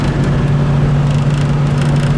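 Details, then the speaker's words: Truck driving with window down: a steady low buzz at one pitch over road rumble as the door suddenly started vibrating; loose door panel vibration. "my trucks door just started making this noise and it's so"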